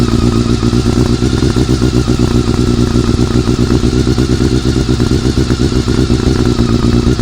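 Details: Honda CBR400RR after riding at Ebisu Circuit: busy, uneven metallic chatter over the engine note at steady speed; abnormal mechanical noise, owner suspects the cam gear train, unconfirmed.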